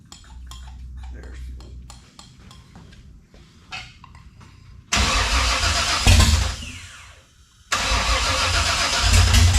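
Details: 1967 Camaro with freshly installed 454 big-block, first start with primed carburetor and fuel pump apparently not working: cranking, then catches in short rough bursts, dies back and picks up again; stumbling, likely fuel-starved.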